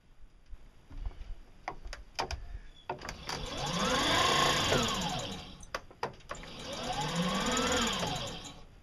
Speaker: that should not be making that sound all right let's open this sucker up I did check the motor brushes recently so they should be fine